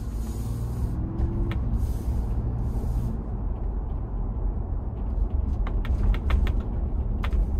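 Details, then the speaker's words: New 2021 Ford Bronco with optional molded-in-color hard top, driving on a rough road: scattered sharp pops, creaks and ticks overhead in irregular bunches over bumps, like popcorn; roof panels suspected, before removing them. "yeah yeah yeah it's like like i said little dwarves making popcorn above my head which gets really annoying after a while"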